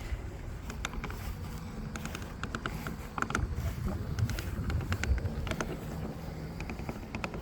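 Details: Lymow One robotic mower, day 3 of ownership: sharp clicks about three a second over a low mower rumble from a track with misadjusted tension; removing the track and adjusting the tensioning mechanism restored day-one quiet running.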